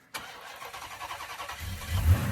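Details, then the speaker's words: First start of a 20,000-mile 6.1 Hemi swapped into a Chrysler 300, no exhaust, cold air intake or driveshaft fitted: starter catches quickly, V8 settles into a deep steady idle with no ticking; normal start and idle. "We gotta put the engine covers back on, but everything is running very good."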